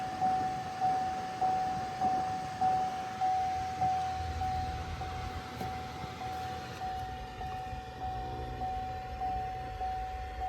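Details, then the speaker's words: 2014 Camaro SS after blend door replacement, ignition on, HVAC actuator learn run from scan tool: soft motor whir with faint tick about every 0.6 s as the blend door actuator sweeps its relearn cycle. "And I can hear the actuator turning."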